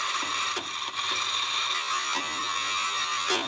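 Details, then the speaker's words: A coffee burr grinder at a coarse setting with a pebble from raw-coffee destoning. Over a high grinding whir come about six sharp, irregular clacks as the stone rattles and breezes through the burrs. "Very exciting! Well, it just breezed through that."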